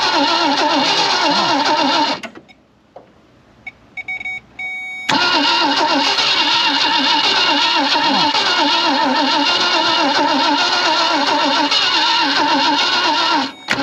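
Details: 1965 Ford Thunderbird off the road since 1986, start attempt with gas poured into the carburetor bowl: long steady cranking about three and a half beats a second with a brief pause, trying to catch but never firing.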